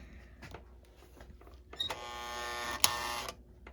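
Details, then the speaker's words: Marx Canadian Pacific style toy locomotive bought on eBay for parts, motor being tested: thin electric buzz rises among handling clicks, laboured not free-spinning; tight, binding motor. "that's trying to it's actually trying to pull if the motor wasn't so tight"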